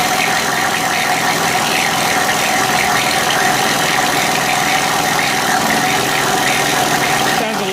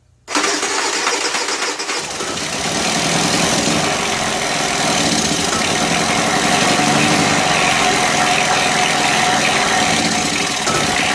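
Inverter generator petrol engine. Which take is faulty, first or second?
first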